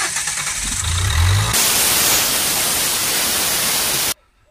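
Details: Nissan Qashqai 1.5 dCi (Renault engine), battery flat, long driven with a broken exhaust pipe, DPF back pressure over 30 psi: a labored crank that barely catches, then a loud rush of escaping gas; engine can't run through the blocked DPF.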